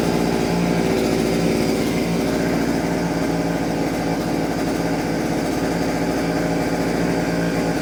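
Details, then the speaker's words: Vevor 6-in-1 multi-tool two-stroke with hedge trimmer attachment, blades had stopped after hitting metal; after the gear was freed it runs at a steady, fairly high buzz with blades chattering evenly, working normally. "Turn it on. Pull my It's working. Yeah, it's working now."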